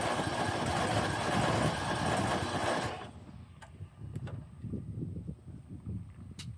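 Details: Snapper 150Z zero-turn, 20 hp, sat about 5 years, battery dead and on charger: starter cranks in a fast even rhythm for three seconds with no catch; cranks but won't fire. It later ran on starting fluid.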